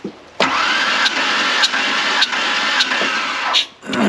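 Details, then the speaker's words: 1996 Ford Ranger 3.0L V6 with a misfire, plugs out for a quick push-button compression test. Cranking is even, with regular puffs about every 0.6 s; compression is decent on all cylinders, including the misfiring side. "they all have decent compression I mean it's hard to get a true reading without the correct one"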